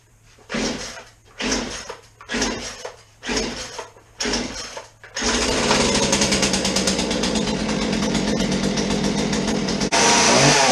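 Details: Chainsaw on fresh 50:1 premium ethanol-free fuel, choke on and chain brake off: several pull-start attempts, then it catches and screams at a constant high speed without dropping; will not idle.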